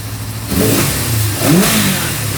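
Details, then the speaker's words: 1974 Honda CB550 after static timing, cam chain and valve adjustment and carburetor synchronization; engine blips cleanly from idle, pitch rising and falling smoothly and settling back evenly; carbs synced, normal revving. "so as you can hear the idle is adjustable now I can put it down as low as like 500 all the way up to 10,000 if I wanted so that's a good way to know that the carbs are now synced"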